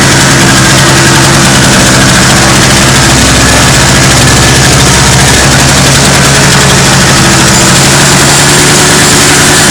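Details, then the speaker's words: Toro CCR 2450 two-stroke snowblower after repair, on 40:1 mix fuel, cold-started without choke after sitting two hours; steady, even buzz with no misses or surging, running good. "okay so it's running good I'll be taking it back over to my neighbor now"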